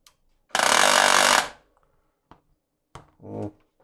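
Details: HP LaserJet P1102w laser printer, tested with covers off and cartridge in: a harsh, loud rattle lasting about a second at power-on, then stops; the cartridge drive gear in the gearbox is suspected.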